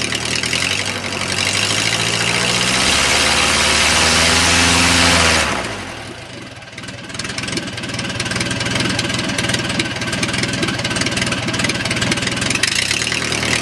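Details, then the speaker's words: O-84 (4A084) air-cooled flat-four generator engine converted to fuel injection, warm, on a test dolly: climbs from rumble to hard full-throttle roar and settles back, even and strong; normal run-up. "that's a normal load our being and I guess that was full throttle you can see the engine runs extremely well"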